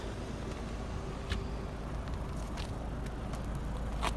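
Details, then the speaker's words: 2001 Audi A4 wagon with 270,000 miles, warmed up: a low, soft, even idle rumble with no knocking or ticking; the owner suspects a failing motor mount, but the engine sounds smooth and healthy. "Remember, 270,000 miles. It's still nice and quiet."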